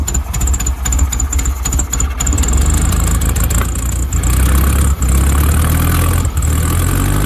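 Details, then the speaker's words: VW Wizard engine first start in this car, carb primed, no accelerator cable, distributor and timing not yet set: catches with uneven sputters into a lumpy wandering idle; needs a tune-up. "All he needs is a tune-up."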